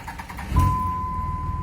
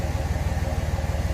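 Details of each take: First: 5.9 Cummins diesel, starting without jumper cables. A few uneven, labored cranking beats in under a second before it catches and idles. It hesitates on the first cranks; the owner now suspects batteries more than the starter. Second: 5.9 Cummins diesel just after a new warranty starter was fitted. It starts and settles to a steady, even low idle with no knocks or misses. The old starter was the culprit; the new one sounds healthier.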